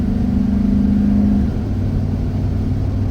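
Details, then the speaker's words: Rebuilt 1997 Chevrolet K1500 Silverado Z71 5.7L Vortec V8 with rebuilt transmission and a P0137 code, driving: a steady low jet-like howl over the engine as the throttle opens, then it fades into road rumble; quieter than in limp mode. "still get that sort of jet engine airplane sound though when I step on the gas maybe you can hear it here it's not as bad as it was when it was in limp mode"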